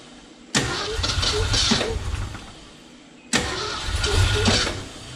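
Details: 1969 Ford F-250 sitting since 2001, previously stuck engine with transmission fluid in cylinders: two cranking bursts catching unevenly and dying, firing on only a couple cylinders; suspected fouled spark plugs or low compression.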